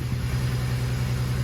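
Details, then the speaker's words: 335 engine with misfire and coolant leak after Mondello: low idle with uneven stumbling beat as cylinder 4 keeps dropping out; misfire traced to a failed coil pack. "Oh my god, a coil pack. You dirty yoke."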